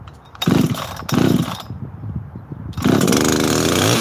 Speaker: that's sound nice it just has this nice paint to it